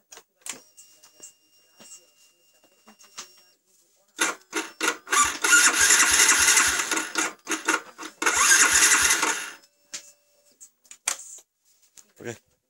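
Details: Old fuel-injected Yamaha Vixion: two bursts of fast starter cranking, neither catching, so the bike turns over but won't fire. A dead spark plug is blamed; the ignition coil and spark are being checked. Crank, no start.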